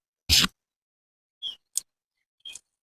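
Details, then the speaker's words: RK25 (TYM T25) tractor at its 50-hour service, loader pivot being greased with the mic held near the joint. A few quiet crackles and pops follow one louder burst as grease squeezes out: the joint is full. "Whenever you're greasing, you can hear that. Once you hear that like snap, crackle, pop with the grease coming out, you know you're good."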